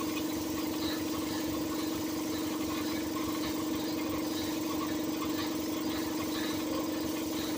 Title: compressor making a weird noise 😕🤔😒